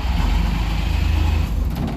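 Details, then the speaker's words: 1963 DKW, key on, fuel pump and choke on, no muffler/exhaust fitted: quick burst of rapid even firing for about a second and a half, then it fades and dies; catches briefly but won't keep running, smoky. "Start. Oh, nothing. Oh, a little bit, something."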